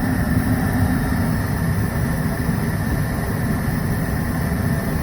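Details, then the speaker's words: Goodman furnace after fixing short cycling caused by water in the inducer motor, likely from snow down the exhaust: steady low, even hum with smooth airflow rush, no knocking or surging; running smoothly, normal operation. "well that was it running smoothly now for the last few minutes or more short cycling"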